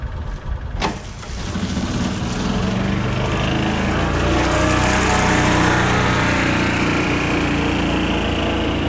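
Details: 2000 John Deere 4x2 Gator on a chilly day, after ignition coil replacement following months of no-run troubleshooting: quick crank, then the small engine catches and runs steady and even with no misses or stumbles; running normally.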